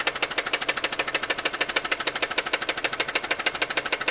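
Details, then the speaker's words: Car engine at idle, microphone close to the engine, small oil leak nearby: sharp, even ticking knock about three times a second, persisting after three days of repairs; cause not found. "You hear that knocking? It's right in here. Right in here."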